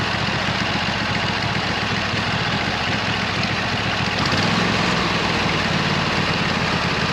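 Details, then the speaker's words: 26 HP Kohler V-twin on a lawn tractor, first start after replacing cheap aftermarket ignition coils with new OEM Kohler coils, previously misfiring and running on one cylinder: steady even thrum, no stumbles or misfires; runs smoothly. "okay so the brand new original equipment Coler coils are on there [Music] now so let's see how that sounds when I fire it up"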